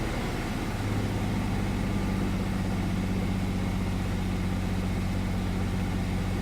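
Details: 1999 Chevy S10 4.3 V6 idling with a faint uneven pulse; misfire, no fuel reaching cylinders 4 and 6 despite good spark and a swapped used fuel spider; cause suspected, not confirmed.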